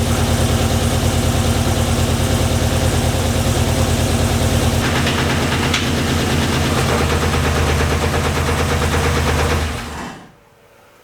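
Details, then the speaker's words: Turbo street truck V8 build, first start before turbo fitted: fast regular ticking over lumpy idle until shutdown; thought top end, maybe lifters not pumped up, unconfirmed; water then from exhaust, blamed on gasket paper, oil filter to be checked. "sounded top end. Did it? To me, it did."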